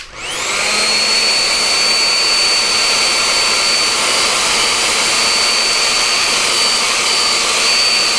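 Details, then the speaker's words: Nikola Plus electric unicycle cooling fan spins up to a loud steady airy roar with a thin whistle; low-quality fan with audible bearings, possibly variable-speed. "it puts out a lot of air so I can just hear it it's a it's just a its basic crappy fan it's a low quality fan like you can hear the bearings"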